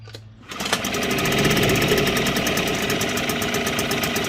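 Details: 1960s Mercury outboard, first run in years after a new water pump impeller, primed and in neutral in a water tub. Fires right up into a quick, crisp, regular two-stroke buzz, pumping water; runs evenly and healthy.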